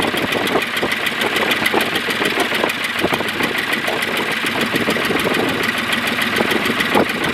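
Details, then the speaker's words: Ford 4000 diesel tractor, burnt and sat 20+ years, first run without alternator: uneven loping diesel clatter with rough firing as air keeps entering via the leaking injection pump, needing repeated bleeding; pump seal kit planned. "obviously the pump was still not happy it was pouring these all over the place and it was air kept getting into it I had to bleed it several times"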